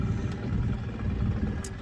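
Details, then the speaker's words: 1983 Evinrude 70hp outboard in neutral on the water, steady low drone idling noticeably fast. The idle speed is set too high. Earlier, shifting from reverse to neutral spiked it higher still, and turning it down caused lag when put in gear. "I can hear, maybe I've just got the RPM set a little too high. Yeah, that's definitely high RPM there, but it's not the spike of what I had back at the dock."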